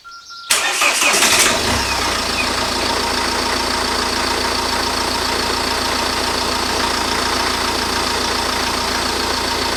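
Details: 2008 Ford Focus 1.8 TDCi after fitting a new serpentine drive belt (old one edge-worn at 30,000 km, tensioner suspected): engine cranks briefly, catches, settles into a steady even idle with no belt squeal or chirp.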